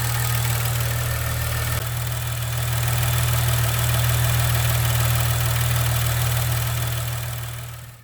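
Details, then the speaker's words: Maserati Ghibli SQ4 idling, hood open: steady hum with quick, even light ticking about four per second from the high-pressure fuel pump, louder on that side; normal, per a Maserati technician. "if you've heard the taking nice there's no need to be concerned I have it on good faith from a certified Maserati technician that is perfectly normal"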